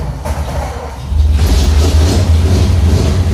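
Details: 1953 Ford F250, 6-volt, with a new key-switched 12-volt electric fuel pump replacing the mechanical pump. Brief uneven cranking, then it catches and settles into a steady, even low rumble.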